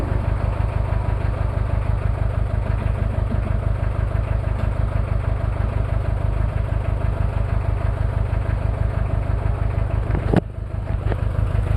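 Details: Toyota 2L-T diesel cold start, one bad injector and possible cylinder head issues after piston ring replacement without top overhaul: steady low chug, about three beats a second, slightly uneven and lumpy; rough idle from the faulty injector.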